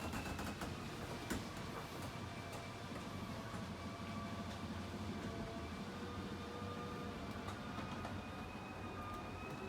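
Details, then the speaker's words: 2017 KZ Spree 261 RKC RV slide-out extending about 24 inches under a steady motor drone with faint clicking, then ratcheting once it reaches full travel; it works normally. "The awning the slide out extends about 24 inches. When it reaches the end of its travel, you hear that ratcheting sound. Once you hear the ratcheting sound, you know it's all the way up."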